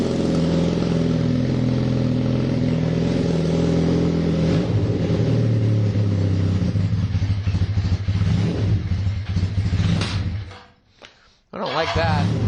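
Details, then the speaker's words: KZ440 single-carb motorcycle after carb cleaning and air/fuel screw adjustment: revs rise thin and hesitant with a slightly uneven top end. Running lean, so a larger main jet is needed. "I need to put a larger main jet in it because we were running lean in th"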